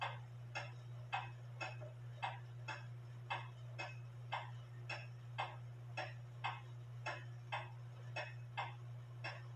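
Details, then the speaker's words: Drop dial case clock, wooden plate, double fusee movement, after modifying the lever wire and shortening the suspension leader wire, hung with pendulum on: crisp tick-tock about two beats a second, evenly spaced over a faint hum; in beat. "it sounds pretty good to me I adjusted the belt I think I need to adjust the Bell a little bit more"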